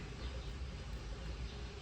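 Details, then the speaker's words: 2012 or 2013 Dodge Grand Caravan after replacing the rear air mix (blend door) motor, temperature swept on the front and rear controls: only a soft, steady hum with no clicking. Repair successful, actuators working normally. "And we got no clicking. No clicking. And then that's off. And then the rear kicks on. And that's also not clicking."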